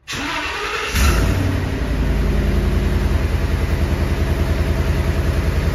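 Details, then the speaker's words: 2014 Ford E350 with a 5.4L V8 and a misfire: it catches and settles into a lumpy idle with a steady rhythmic miss. A power balance test confirms cylinder 7 is a dead misfire. "Insight oh there you have it cylinder 7 is a dead misfire so that could be affecting many other things"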